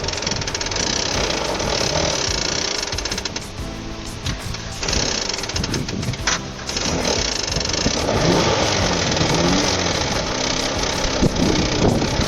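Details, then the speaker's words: Mitsubishi Eclipse engine running rough with a loud, persistent hammering bottom-end knock; suspected rod knock, not confirmed. "Not supposed to be making that noise. So yeah, that's pretty bad, and I didn't know that it was a rod right away."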